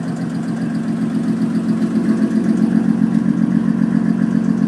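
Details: 2001 Audi S4 at idle: even idle with a sharp, regular tick about two and a half per second, loud from driver side of the engine; source unknown.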